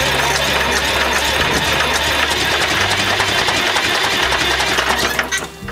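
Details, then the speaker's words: Flxible bus diesel cold start after sitting for weeks, no starting spray used: fast uneven cranking chatter, catches and runs rough at first over music, expected to smooth out while warming; normal start. "So she's doing good. She's gonna scavenge for a minute. And she'll smooth out."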